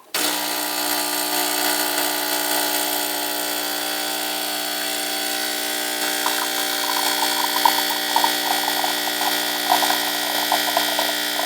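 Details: Refurbished Saeco Via Venezia espresso machine brewing a double shot, aiming for 20–30 seconds; steady buzzing pump hum with a faint gurgle joining as the shot flows, even and unbroken: normal espresso pump operation.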